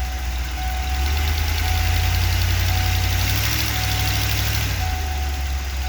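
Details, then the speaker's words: 1994 Ford E350 Club Wagon with a 351, dead cold, in Drive with brake held: touching the throttle brings immediate stumbling, irregular roughness, then it settles; hesitation, worst cold and under load, cause unknown. "that's it in Drive oh yeah as soon as I touch the gas and immediate hesitation that's pretty good actually"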